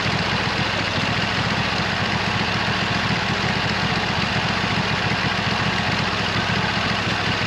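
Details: 26 HP Kohler V-twin mower engine that had been running on one cylinder, after fitting new original-equipment Kohler ignition coils: steady, even beat with no misses or stumbles and constant pitch; normal running.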